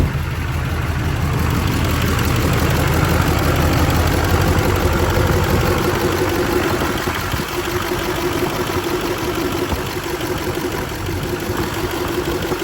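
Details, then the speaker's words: 2004 Duramax LLY diesel after replacing idler, tensioner and a slightly smaller belt (old idler pulley had come off): even diesel idle rumble, no squeal or slap from the belt; repair holds, normal idle. "all right, cool. That seems fixed."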